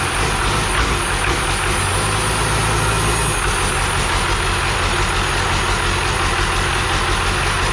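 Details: 12v Cummins diesel core engine, accident-damaged, first start on the floor after 4–6 years sitting, new oil filter: rough busy idle with uneven scuffing rattle; fan touching the harmonic balancer, turbo suspected bad, fuel filter leaking.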